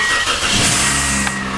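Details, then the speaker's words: 2003 Toyota Corolla after a new exhaust system, cold start the next morning: short burst of tinny metallic buzzing from the loose main heat shield on the exhaust manifold, rattling only on startup; otherwise quiet. "has that heat shield rattle it's that main heat shield right on the manifold uh it is what it is"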